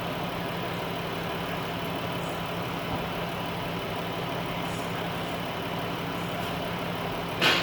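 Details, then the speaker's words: Chrysler/Dodge minivan with a 3.6 Pentastar, after oil cooler work, bleeding coolant through a spill-free funnel with the head hot: a steady, loud airflow rush over a smooth idle. Radiator fans at full speed from overheating. "Now you can hear the fans are really going because it's in freak out mode."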